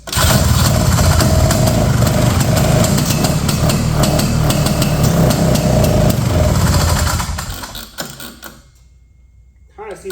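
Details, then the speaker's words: 1970 Ski-Doo Olympique 335 two-stroke snowmobile, bought at auction, rear jacked up, choke off: rough, uneven sputtering that barely catches and dies while the high and low speed jets are turned in; flooding, with gas spitting back out of the carb. "All right, I'm kind of turning these uh high speed and low speed jets in. We're getting a lot of gas shooting back out."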